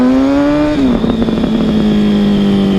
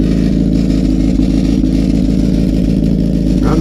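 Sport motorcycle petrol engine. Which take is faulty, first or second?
second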